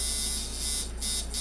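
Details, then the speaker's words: Micky Sharpz hybrid clone tattoo machine at about 7 volts, reading 144 and 59% duty: fast buzz that races and drops, hitting too hard. The cause is too much spring tension. "that's because there's too much tension in the spring okay 144 59 and it hits way too hard"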